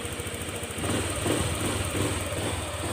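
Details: Honda Click 125 scooter with 160,000 km, after the connecting rod and crankshaft assembly were replaced: it idles with an even, soft patter and no bottom-end knock, quiet and healthy.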